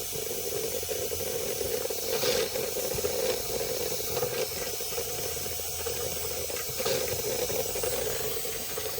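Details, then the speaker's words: Märklin 16051 twin-cylinder steam engine, still running in, on its original burner at modest heat: steady steam hiss with surges every few seconds as the safety valve lifts and vents; normal blow-off. "You'll see that safety valve is beginning to lift. Beginning to lift. I like that because we're only running on the original burner, so we're not giving it too much heat."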